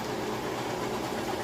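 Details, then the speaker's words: About 3-year-old Amana top-load washer, lid switch bypassed, large load on warm/cold regular, final high spin: smooth, steady rushing whir at constant speed with no thumping or wobble. The drum is balanced; normal high-speed spin. "As you can see, it sounds great, and it's not shaky, wobbly, or anything like that. Then it is spinning at the high speed."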